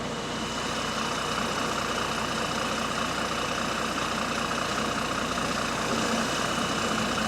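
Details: Bus GAL WVN49 on route 89, diesel idling: rough, raspy puffing pulse about two and a half beats a second over the rumble, from an exhaust leak.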